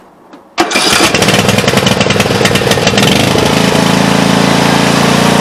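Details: Craftsman T100 riding mower with Briggs & Stratton engine, after replacing the carburetor with an aftermarket unit (fits 590400 and others). Quiet, then a quick start, settling into an even, steady run with no misses or surging. Healthy, normal running.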